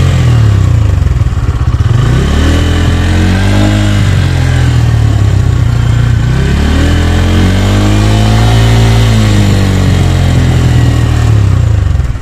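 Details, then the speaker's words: 2024 Bajaj Pulsar N150 single-cylinder engine, stationary test with two rev sweeps to about 6000 rpm: exhaust note climbs smoothly and drops back cleanly, no rattle or roughness. Very little vibration; normal revving. "अभी आपने देखा हम 6000 तक RPM इसका ले चुके हैं और यहां पर आप देख सकते हैं बिल्कुल ही कम वाइब्रेशन थी यहां पर भी"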